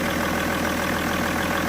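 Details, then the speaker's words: 2007 BMW E61 525d diesel after repair for cold-start shaking, erratic idle and smoke, EGR tested and throttle body cleaned, started after glow plugs: even steady idle, no stumbles, smoke or shaking; running smoothly. "Okay, smoke, no really, and it's running absolutely perfect. Running really smooth, as you can see. No shaking, no vibrations, no nothing."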